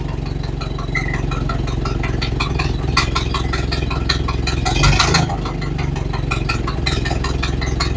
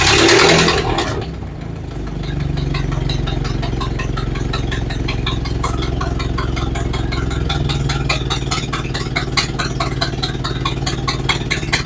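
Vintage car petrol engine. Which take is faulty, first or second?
second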